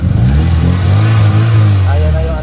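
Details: Mitsubishi Lancer after fixing a misfire: distributor centered, TPS and air mixture adjusted: deep, even engine note pulling up cleanly under light throttle, no stumble or popping; normal revving, misfire gone.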